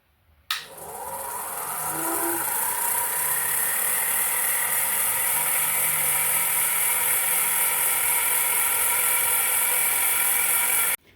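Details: Shaper grinding attachment spindle on its first test run, driven by an underpowered motor: a steady high whir with a gritty rasp from start-up to shutdown; spindle bearings noisy and preloaded too tight.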